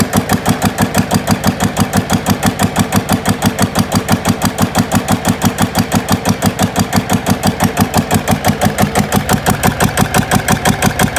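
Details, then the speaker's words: GA70 diesel on a stand; water entered the sump, and the sump breather appears blocked: crisp evenly spaced thumps at steady idle, no misses or knocks; runs well, good compression. "เแต่ว่าแล้วเครื่องแรงอัดดีอยู่นะ"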